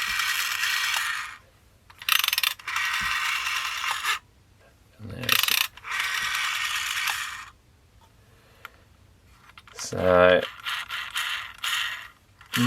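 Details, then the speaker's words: Several dial returns, each a dry ratcheting whir with a scratchy grating edge, on a never-used, new-in-box 1982 Telecom Australia 891 (800 series) wall phone; owner suspects the stiff run-on part needs loosening up or lubricating, unconfirmed. "may need something lubricating in there. Yeah, that noise is there's something."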